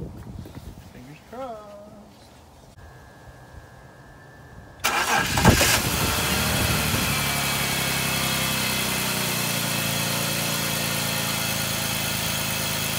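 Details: 2005 BMW 325i E46 M54 engine cranks, catches and settles into an even, steady idle with no stumble after replacing the cylinder 6 ignition coil for code P0306 misfire and rough idle; runs smooth.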